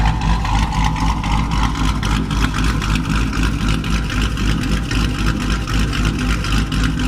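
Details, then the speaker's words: Dodge Challenger Hemi V8 after a bad lifter was replaced with Hellcat lifters and a bad cam with a new Comp 274 cam: deep even burble with steady lope, no ticking or tapping; healthy smooth idle. "replace that uh bad lifter with a fresh set of hellcat lifters and replace the bad comp cam with a brand new comp companion 274 these back to purring like a kit nice and quiet"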